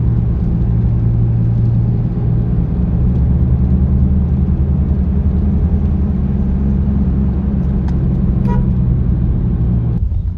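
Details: Honda City i-VTEC while cruising: steady low droning hum under road rumble, very strong at 60–70, easing, then louder above 90; worn wheel hub bearing, replaced along with shocker mount, J.R bush and stop cap.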